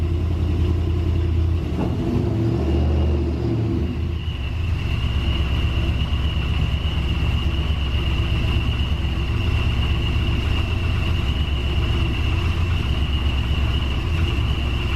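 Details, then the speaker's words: Supercharged GMC V8 idling after vacuum block install, gauge reading about 8–9 pounds of vacuum: steady low rumble with a faint constant high whine, smooth even idle; normal idle. "good oh I want to see what the boost gauge says is a reading vacuum it is reading vacuum we're at I think eight pounds of vacuum eight or nine"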